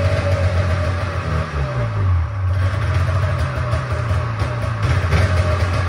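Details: Old Polaris Trans Sport two-up long-track two-stroke snowmobile, unrun 10 years, after fuel system work: busy burble idling with small speed swings, no dropouts; thermometer readings ~203 and ~224 show both cylinders firing, but too loud.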